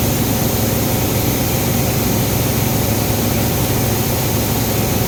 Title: Engine misfire ford ecosport 2014 model